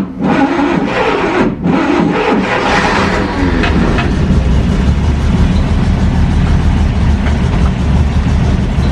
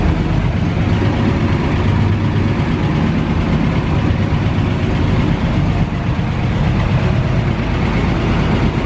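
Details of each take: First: 1940 Dodge VK62B 3-ton truck, ex-RAF race car transporter, after sitting: catches and revs, then a loose, uneven idle with lumpy low beats; old fuel, choke on, owner suspects it needs to clear out. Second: 1940 Dodge VK62B 3-ton ex-RAF truck, restarted after months unused on old fuel with choke just eased off: deep low rumble at idle, fairly even without stumbles, smoothing out as it warms through; normal idle.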